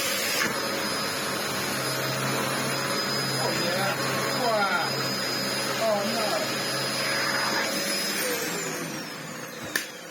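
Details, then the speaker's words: Dyson DC04 upright vacuum after restoration, previously clogged with no airflow or suction: strong, steady airflow roar with even motor hum, no rattles or surging while sweeping carpet; normal running. "Now though! Hear the airflow roar as it should do, as all Dyson DCO4s do tend to try."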